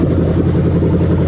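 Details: 1998-2000 Lexus LS400 1UZ-FE VVT-i V8 on test with new rebuilt LHD harness, just after start, valve moved down as expected: smooth, low, even burble at constant speed, no ticks, misses or surging; healthy idle.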